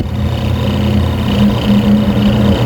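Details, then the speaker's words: Noisy washing machine, motor tested alone with the belt to the gearbox removed, run on the timer: smooth, steady low hum at even pitch, no grinding or rattle; motor healthy, the gearbox is the noise source. "So ita-timer natin dito. Pag tinimer mo yan, sinaksak natin dito. Ayos pa yung motor niyan."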